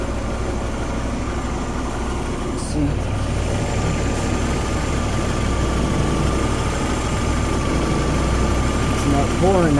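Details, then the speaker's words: Honda Civic with H22 engine idling after reassembly (KS Tuned oil pan issue): the earlier ticking is gone and it sounds healthier, but the idle is still slightly rough. Oil is likely still leaking slowly. "Sounds good. Before you could hear like a ticking, can't hear that no"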